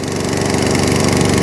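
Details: Atco Balmoral 14S single-cylinder mower, started with a bit of choke, throttle up: even fast beat with no misses, knocks or surging; running cleanly (drive grunchy).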